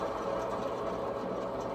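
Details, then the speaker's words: Husqvarna zero-turn mower deck rebuild: hand-spun idler pulley gives a fast, gritty whirring rattle compared with a smooth-sounding one; worn idler pulley bearing, likely to be replaced. "This one, this pulley, idler pulley, that sounds good. That sounds good. This one don't sound as good. See that? I'll probably replace that."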